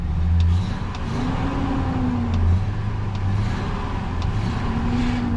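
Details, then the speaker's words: 2004 Ford F-250 Lariat at salvage auction, previously at a buy-here-pay-here dealer: starts right up, steady low idle with a couple of light revs, running clean and even, no warning lights. "no warning lights on this one it started right up"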